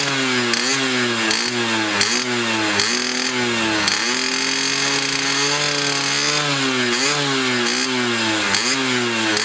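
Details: Restored Yamaha F1ZR two-stroke with a rebuilt stock (STD) engine and full clutch: crisp blips climb and fall cleanly with steady, even firing between them; running healthy after restoration.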